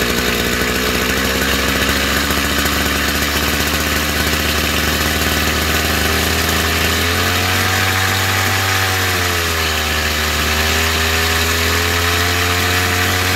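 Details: Chinese two-stroke brush cutter (trimmer) during carburetor adjustment: steady high buzz whose pitch sags and recovers midway as the fuel mixture screw is turned.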